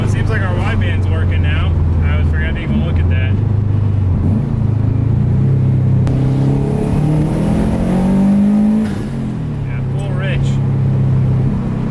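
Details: WRX-swapped Subaru 2.5RS turbo four-cylinder revving up and down with a raspy, puffing edge from an exhaust leak at the header-shaped turbo manifold, exact spot unclear, before the manifold is replaced; wideband O2 sensor just changed.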